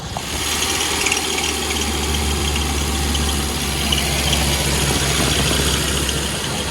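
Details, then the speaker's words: Mini engine with a Stage 1 kit and carburettor, at idle: steady, slightly hissy idle with a thin, flat exhaust note and no misses; mixture is way too lean (about 1.3–1.4 reading), needing carburettor needle modification. "this one's way too lean so we're going to need to do some modifications on the needle to bring that into check"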